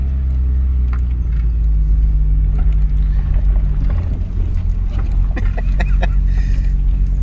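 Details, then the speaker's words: Honda Accord CB7 with a low-compression (about 8.8:1) engine; after a fiddly start procedure it starts right up and runs with a deep, steady drone, no stumbles or misses, running flawless. "so once you go through all that she starts right up and as you can tell i don't know if you can hear it or not but it runs flawless once you get her going"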